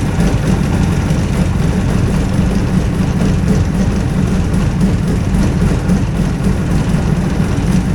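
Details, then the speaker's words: Hovercraft two-cylinder engine firing on both cylinders, sped up to about 2500 rpm: steady, even drone with no stumbles or knocks, holding speed smoothly; running well. "anyhow 25 it was about 2500 rpm when I had it speed it up there"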